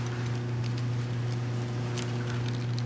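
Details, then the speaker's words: Autolite 2100 carburetor with the throttle shaft wiggled back and forth: sparse, light castanet-like rattling clicks; the throttle shaft bore is worn, hurting low-speed and idle repeatability. "You hear it? It's like a castanet. These, especially hot metal bodied carburetors that the throttle shaft goes through, this wears out. This wears out."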